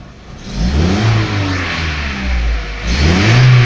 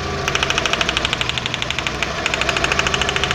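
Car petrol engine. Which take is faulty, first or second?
second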